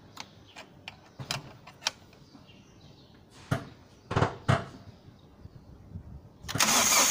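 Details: MG6 with 15E4E engine: a few uneven bursts of starter cranking with no catch or firing; engine cranks but won't start, no power to the ignition coil.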